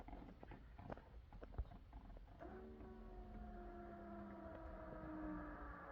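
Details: 6.0 Powerstroke with a regulated return fuel kit being installed: the stock fuel pump is powered by a wire from its plug; after handling clicks a thin steady whine holds. Pressure then reads too high; the regulator works but the pump needs adjusting.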